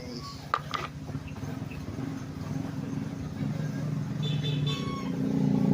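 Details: Vehicle that would not start because rats chewed the fuel injector, camshaft and crankshaft sensor connectors, after the wiring was spliced and repaired: a few clicks, then the engine catches and settles into a steady, even rumble that builds slightly. It starts and runs normally.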